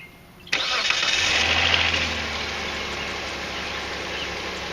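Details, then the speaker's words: 2.7 V6 Hyundai Santa Fe, key on, starter jumped directly from battery positive to bypass a suspected fault in the starter or alarm relay circuit: brief starter whir, then it catches quickly into a steady, even idle; clean start. "so as you can hear it started up what I've done is I've gone from the positive on the battery directly to where I was telling you to connect on the starter and I can start the vehicle"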